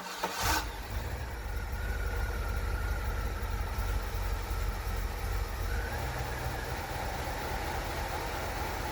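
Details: 1993 Cadillac Fleetwood after an in-tank fuel pump replacement, with the fuel system primed: a quick crank, then the engine fires and settles into a steady, even low idle with no stumbles or misses.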